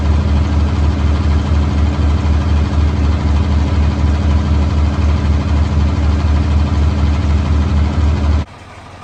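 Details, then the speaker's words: Tractor (4230) after the fan belt was refitted and the hydraulic drive coupler replaced: deep, even diesel beat at steady idle with the earlier hammering gone, then shut off; normal running. "you can see that tell the difference in how quiet that tractor is now"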